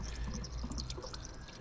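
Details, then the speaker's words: Austin Allegro with Montego radiator fitted, first run, engine just shut off: soft bubbling and trickling gurgle from the low-mounted expansion tank; coolant boiling over. "I'm going to have to switch off because that expansion tank is not happy. And the clutch works. But we do have a small kettle going on, that's okay."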